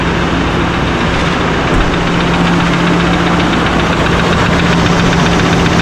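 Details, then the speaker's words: Rebuilt 2024 Chevrolet High Country Duramax diesel at first start after radiator support and engine reassembly, showing plenty of oil pressure: light quick ticking at idle, suspected lifter or injector, possibly an unconnected engine ground; cause unconfirmed. "sounds like a lifter or something, but so it does run. It kind of make a little bit of a noise there. I don't know if that's an injector"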